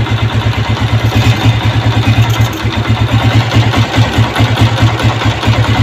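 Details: Honda CG 125 Euro 2 with a cut intake rubber pipe causing missing, dying when throttle is released: lumpy, uneven low thumping with wavering speed instead of a clean steady beat; intake air leak.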